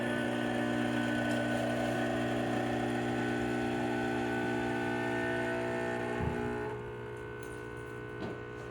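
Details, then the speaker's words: Restored Andreja Premium E61 espresso machine, after new expansion and air valves, brewing a shot at about 12 bar: a steady, even pump hum with no screech or crunch, fading smoothly; much quieter than before the repair. "I do not hear the screeching sound that I used to hear before or the spin kind of getting compressed and something kind of crunching sound inside the machine so it sounds much more quiet than before"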